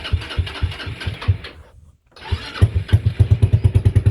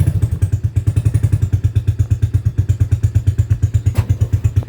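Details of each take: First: TrailMaster 300 XRS go-kart after adjusting the carburetor screw: small single catches, a brief cutout, then it refires and settles into an even, quick thumping idle of about three beats a second. It stays running without the gas pedal. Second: TrailMaster 300 XRS go-kart single-cylinder engine, cleaned carburetor, choke connected, before carb adjustment: slow lumpy thumping near 170 a minute, barely staying running without gas, fuel dripping from tank; idle set too low.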